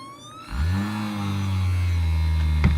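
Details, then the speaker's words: Cheap massager motor on a USB-powered PWM speed-control kit, running hard enough to shake the table: a steady high whine over the motor's low hum, from the PWM pulses in the motor coils. "and there we have variable from very gentle movement so oh my god it's shaking the table as you can hear you just get the wine from the pulses in the coils"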